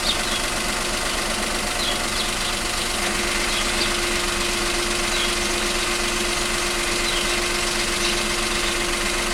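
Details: 2019 Opel Crossland X 1.2T 130 hp, 6-speed manual, about 1100 km, idling: a constant hum and light rattle about four times a second start when the clutch is released. Gearbox noise, following rough shifts into and out of 2nd.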